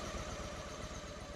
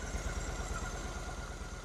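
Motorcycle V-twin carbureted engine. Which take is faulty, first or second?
first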